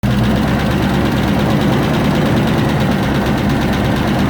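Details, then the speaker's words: 1994 Range Rover Classic, cold start: loud busy idle with rapid clatter on top; suspected cam or hydraulic tappet problem, oil pressure light off; exhaust blowing on one side also heard. "so now we've got it running. It's cold still. Got a big problem with cam or hydraulic tappets."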